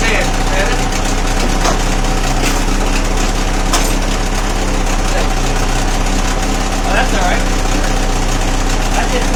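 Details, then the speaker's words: Old two-stroke outboard after fuel filter repair, steady putter at fast idle with slight unevenness in the beat; cooling water coming out, running but not perfectly smooth. "water coming out it's not running perfect"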